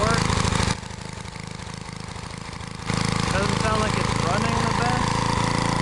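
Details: Edger engine found in the trash (previous owner said it burns too much oil) runs after carb screw adjustment with uneven, wandering pulses and hunting speed; rough running, carb screws probably need more adjusting.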